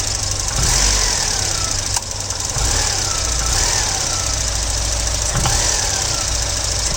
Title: Volvo 940 engine knock on sharp acceleration from idle